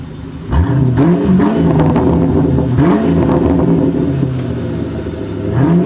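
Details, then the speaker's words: 1997 Ford Mustang GT V8 after fitting an SLP Loudmouth exhaust and BBK X-pipe, cold evening, no check engine light: a deep, even idle burble that climbs cleanly on throttle blips with no misses or knocks, sounding right and healthy. "Let's listen to it just idle. It just sounds right, guys. Sounds right."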